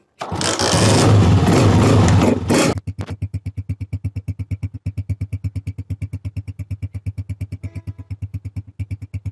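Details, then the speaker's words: Honda CG125 after refitting and tightening the silencer: burst of revving, then an even steady idle thump about three beats a second; perfectly smooth, healthy exhaust note. "बिल्कुल ही perfect smooth sound है"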